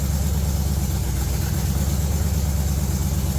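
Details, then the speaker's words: Budget G-body El Camino with Gen 3 LS swap on a cheap standalone wiring harness, truck MAF, new throttle bracket and small throttle body, after throttle-body tweaking: deep, even V8 idle holds steady, no hunting or surging; normal idle. "So after cutting off the truck, you can hear the idle of it. It sounds much more normal, and it's not up there searching for its idle, just trying to stay alive."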